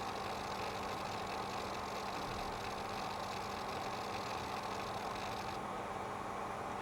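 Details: Seagate Barracuda 2TB 5400 rpm hard drive making a steady whirring hiss with constant low hum, started lately; software tests show good performance; cause unclear.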